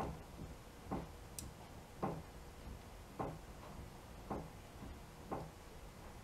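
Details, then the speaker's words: 1967 Volkswagen Beetle with sloppy steering, steering wheel rocked back and forth: dull clunk about once a second; worn outer passenger-side tie rod end, later replaced. "sounds like tie rod into me that that noise you hear right there maybe you don't hear it I can hear so that's my guess"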